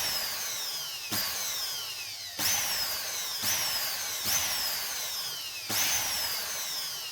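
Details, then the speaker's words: Repaired multi-purpose blender that previously would not run, mounted on four feet, switched on continuously then pulsed: six sharp whining bursts in about seven seconds, each spinning up and winding down cleanly; normal running. "này mình sẽ bật cho các bạn xem này Đấy bậy chạy liên tục này Nhấn nhả"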